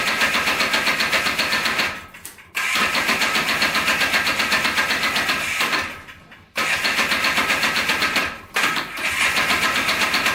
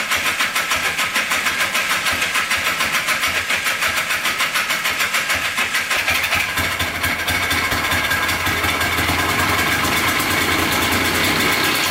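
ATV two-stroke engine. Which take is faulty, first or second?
second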